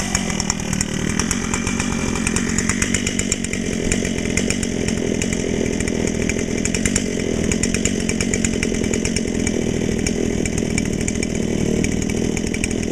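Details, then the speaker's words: Brand-new Dolmar PS-7910 chainsaw, full wrap, 28" Sugihara bar, LGX chain, factory carb settings, a little warm, cutting wood: steady high-revving two-stroke scream holding under load with no bogging or surging. "but other than that uh starts some runs real good I was really surprised"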